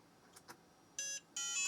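Two short high-pitched beeps at power-up, the second longer, over near silence; the boot fault is intermittent and the cause is unconfirmed.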